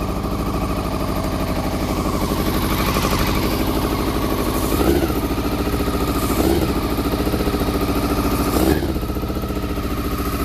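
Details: Honda CBR400RR NC23 four-cylinder, just started on petrol poured down the fuel pipe plus carb spray, water leak: lumpy, loping idle with three short throttle blips, firing only on cylinders one and two; three and four stone cold, not firing.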